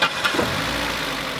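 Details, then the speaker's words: 2003 Ford Focus, engine already warmed up: light fast clacking over the idle, much louder when cold and quieter when warm; valve train clatter, engine has no hydraulic lifters despite a mechanic claiming he checked them. "Especially when it's cold, the engine makes a lot of clacking noise. Kind of quiets down when it warms up."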